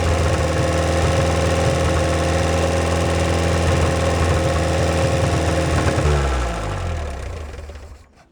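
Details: 1949 Willys F134 four-cylinder, rigged 12-volt starter, long unrun: steady even low thrum, no misses or knocks, winds down smoothly at shutoff, firing on all four, slight smoke possibly from hung-up rings; healthy running engine.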